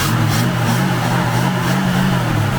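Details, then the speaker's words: 1969 Ford XW Falcon inline six, revived after about two years off the road (had been stalling every 30 km): runs smooth and even with light throttle swells, no misfire or knock. "he a happy boy so good so all right because I didn't make a liar myself and I did get it running even if it was with help from rer"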